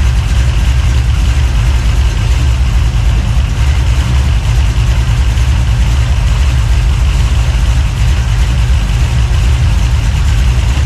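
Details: 383 stroker small-block V8, freshly built and swapped into a 1970 Monte Carlo, at first fire-up in the car: deep, loud idle with an uneven, choppy lope around three beats a second; normal big-cam idle.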